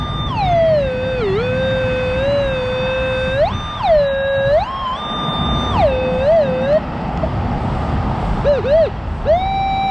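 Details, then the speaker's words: Minelab Equinox 800 over a large iron area, reading 21–22: a warbling, chirping tone that breaks up as the coil passes. The target was a bolt that looked like brass; iron falsing. "That's where it's saying it is. But that's iron. But it still wants a false."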